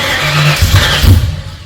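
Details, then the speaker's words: Freshly rebuilt Ford 302 Cleveland V8, Holley Sniper injection, new electronic distributor, first start: cranks and fires unevenly, stumbling and surging before catching; owner suspects lifters needed to pump up with oil. "But it took a little bit to start up. I was a little bit worried, but I think the lifters needed to pump up, get some oil in them."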